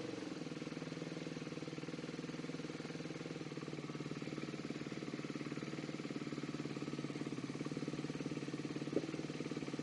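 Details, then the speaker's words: Motorcycle twin-carb engine at idle running on one cylinder: slow lumpy thump, the other cylinder kicks in and revs rise when fuel is sprayed into the front carb; gummed float needle was starving fuel. "foreign just a very quick video to help diagnose a fueling issue obviously you can hear the other cylinder kick in when we spray into the front carb the revs just pick up on the one cylinder when it's just sprayed into the rear cup"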